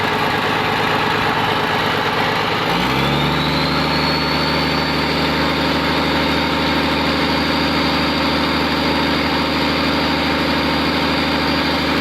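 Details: Komatsu PC200-8M0 diesel engine after overhaul: catches and settles into steady, even idle with constant low drone, no knocking; healthy normal idle.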